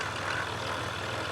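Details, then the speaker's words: Jeep Rubicon EcoDiesel after being revved hard stuck in mud, stethoscope on the alternator: steady diesel drone with a rhythmic oscillating throb matching a visibly wobbling alternator pulley; wobbling alternator pulley. "Notice the oscillating sound is right on queue with it wobbling like that. So, now we know if you hear this sound, you got a eco diesel. This is what it is."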